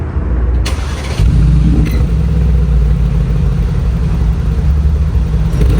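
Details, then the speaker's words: 2020 Mercedes G63 AMG V8 warm start after a drive, with newly installed FI axle-back exhaust, comfort-mode revs before sport mode: clean start into deep, smooth rumble, mild revs, muted note, no odd noises; healthy. "So, we're going to start it up for you guys. I'll do some comfort revs and then I'll put it in sport. See if the valves open."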